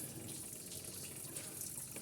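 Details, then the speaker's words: Car with coolant drained to check for oil in the cooling system, then refilled; at about 47 degrees. Uneven bubbling gurgle as trapped air works out through the expansion tank. "Because in a minute what that's going to do is it's going to go blub, blub, blub, blub, blub, blub, and go down."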